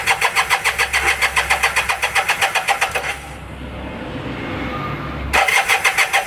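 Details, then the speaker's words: Kawasaki KZ400 first start in over 30 years, new B8 plugs, 10W-40 oil, starting fluid sprayed into each carb: steady cranking, three to four turns a second, then it catches and runs briefly before cranking resumes. "now that's really that's really all that starter fluids for is to see it you know if it actually gets going after that it needs actual gas but dude bike runs"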